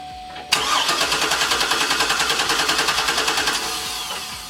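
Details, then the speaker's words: 2008 Hummer H2 with codes P0230 and U0109, no communication with the fuel pump control module: starter cranks steadily at about three and a half turns a second but the engine never fires; failed fuel pump control module. "As you've seen it, cranks it, but it does not start."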